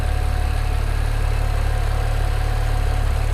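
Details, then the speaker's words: BMW 335i N54 twin-turbo on E85 tune, first start after fitting 17T hybrid turbos, warming up quickly with thermo fan running. Steady, smooth idle, no knocks, misses or hunting, AFRs good; nearly stalled just after start. Normal idle. "All the AFRs seem good. It's not doing anything funny. It sounds like it's running quite well."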